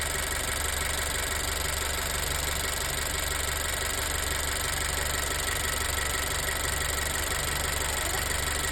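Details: Honda EarthDreams turbo GDI engine: steady idle with light, fast, loosely even tick; engine ticking at idle, cause not pinned down.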